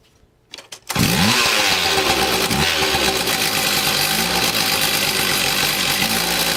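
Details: Stihl TS460 concrete saw, two-stroke, cold after sitting a year, choke misalignment fixed: fires up and holds a steady, high buzzing run with no blade or load, on a bit of choke; runs cleanly, carb to be fine-tuned later.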